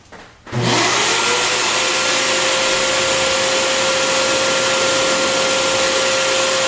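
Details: Bissell Garage Pro wet/dry vacuum switched on in blower mode with the crush-proof hose twisted in: spins up fast to a steady, loud rushing whoosh with a constant mid-pitch motor tone, normal and even.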